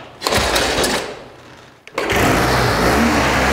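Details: 1952 Triumph motorcycle (Fonzie's bike from Happy Days), long unused, first start after repair: catches after a kick and settles into a brisk, even beat with no misfires; running healthy.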